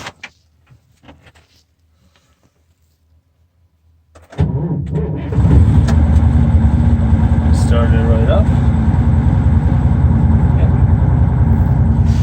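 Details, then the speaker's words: Terex articulated dump truck with transmission not shifting out of neutral, cold start at about -1 to -2 °C on jump pack; brief crank, catches immediately into steady even idle; normal cold start. "it's cold outside look like a minus one - 2° c okay we have a power to the dash all right let's crank it and see how she'll start"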